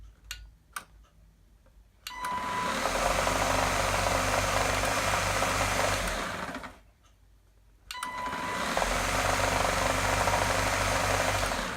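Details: Gtech AirRam K9 cordless vacuum, which also has a faulty switch: two short run-ups, each with a rough, rapid knock under the motor whine; noise seems to come from the motor housing, and the internal cause is unclear.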